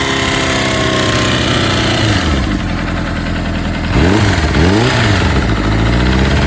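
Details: Honda CBR600RR PC37 inline-four with a new cam chain and new piston rings, and good oil pressure, idling then blipped: an irregular ticking clatter that follows the revs, source unknown.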